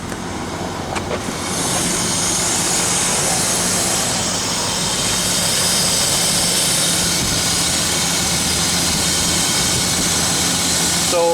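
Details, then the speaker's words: 1995 BMW 525i idling rough at about 1,000 rpm (normal ~750), loud steady hiss with uneven chugging, wanting to die out and stalling on acceleration; cause a cracked air intake hose at the airflow meter causing a vacuum leak. "25i, 1995, and when I start the engine up, it starts to, like it chugs and wants to die out."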